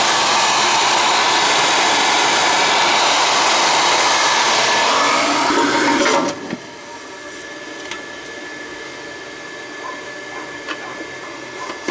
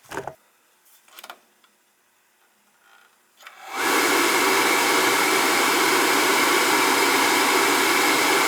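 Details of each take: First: Riello oil burner that would not fire, after fitting a 60-degree nozzle and adjusting the electrodes: a strong, even roar at steady pitch with no pulsing, then a clean shutoff; the burner now fires properly. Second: Riello oil burner with a new control box that was found fitted with a 75 45 nozzle; 75 60 is the right one. After a click the blower runs to a steady hiss with no flame and it does not fire. The inside was clean, so the wrong nozzle is suspected.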